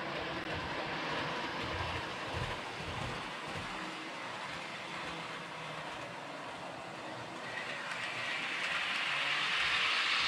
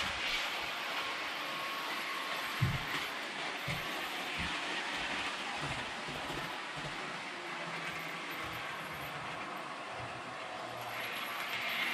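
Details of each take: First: Realtrack Class 156 model train (RT156-312, 156497) after axle repair: even steady rolling hiss rising gently with speed, no squeak or chatter; runs smoothly, fixed. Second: Realtrack Class 156 OO model loco (RT156-312, 156497), Provincial SuperSprinter livery, after about an hour of running in: thin high squeak over the running hum, worsening within minutes as it laps; wheel squeal.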